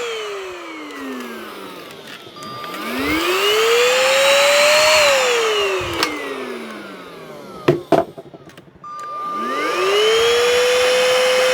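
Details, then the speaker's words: Unbranded, fully charged cordless stick vacuum: motor whine rises and falls smoothly and sounds okay, electronics fine, but hardly any suction; owner suspects a clogged exhaust filter despite the main filter looking fine. "Hardly any suction at all. The electronics are working fine. The motor sounds okay."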